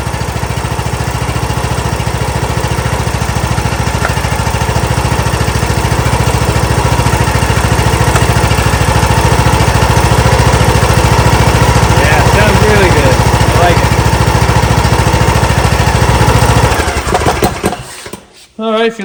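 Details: John Deere LA115 with 19.5hp Briggs & Stratton engine, after spark plug change, started on choke: steady, even low thump, then shut off near the end; normal running after fix.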